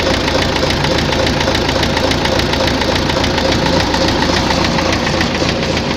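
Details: Tractor diesel idling with steady heavy knocking about 3.5 per second; heard at idle and mid revs, not at high revs; fuel pump and injectors ruled out; teardown found heavy wear in cylinder 4, head fine.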